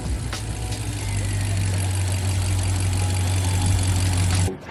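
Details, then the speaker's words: BMW 650i Gran Coupe after installing front-mount dual air intakes routed under the hood latch for more air and turbo sound: deep, steady drone at an even pitch, no knocks, ticks or rattles; normal healthy engine running. "So we got both air intakes in there, getting more air ideally, and giving more of a turbo sound and a turbo spool."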